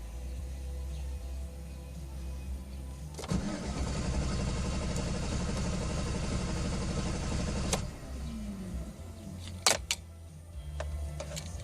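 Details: 2013 GMC Sierra 5.3, rental, at about 15°C, after engine light briefly came on: starter churns steadily about four and a half seconds before stopping; very hard start with extended cranking, cause unknown.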